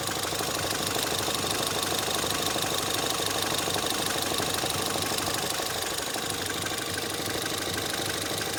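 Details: Ford Fiesta ST 180 EcoBoost under warranty at idle: even idle with steady, regular deep knock about three times a second, unchanged with clutch pressed or released; Ford claims release bearing, owner suspects bearing damage, cause unknown.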